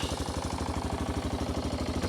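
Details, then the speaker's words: 1993 Yamaha Big Bear 350 4x4 single-cylinder just started with the engine cold: fast, lumpy idle around eight beats a second, slightly uneven, puffing a little smoke and seeming to still want half choke; the smoke stops once warmed. "Now, another problem with this, as you might be able to see, when it's cold, not when the temperature is cold, but when the engine's cold, she does smoke. It's a little hard to see, but it is puffing a little bit. She still wants to be like half choked, I think."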